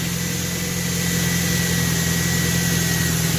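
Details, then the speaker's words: Vehicle started at salvage auction: even steady idle, smooth low hum, faint constant belt whirr, no misses or knocks. Normal idle. "she don't sound bad at all either so let's go take a look at this engine"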